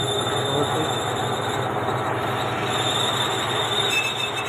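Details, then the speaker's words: John Deere 5103 tractor, older model, diesel running: a constant high-pitched squeal while the clutch pedal is held down, stopping when released; clutch problem, typical of a worn release bearing. "हम कौन सा clutch मैंने उसे दबाया, फिर वह आवाज़ आ रही है।"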